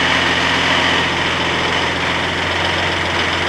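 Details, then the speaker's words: Range Rover P38 barn find at idle during mechanical check-over: uneven lumpy idle with a steady high whirr over it, sounds rough; suspected cracked plastic part or idler, not confirmed. "Sounds rough, doesn't it? Sounds smooth. Doesn't sound good at all, does it?"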